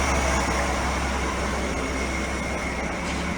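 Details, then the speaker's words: 1965 Ford Econoline pickup after exhaust manifold replacement, warm idle: even, quiet steady low rumble with no ticking or puffing leak, exhaust sealed; normal idle. "I think this purrs like a kitten on it nice"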